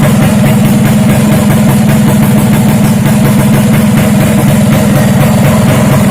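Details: Vespa racing two-stroke engine with recessed reed (direct) intake, upgraded clutch spring and SRP competition exhaust, first start test, fuel nearly empty: crisp even beat at steady idle, no knocks or rattles. Normal idle and revving.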